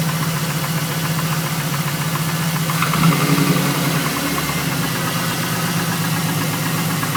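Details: Chevrolet Camaro SS before engine removal at idle: deep heavy knock three to four times a second following the revs; spun rod bearing on number 3.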